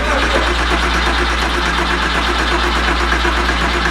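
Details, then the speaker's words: Porsche 911 after its engine was pulled and repaired, cranked with the fuel pump relay removed so it won't fire, to build oil pressure: a steady starter whir with even compression pulses, normal cranking. "Do it again. That sounds like a normal engine turning over."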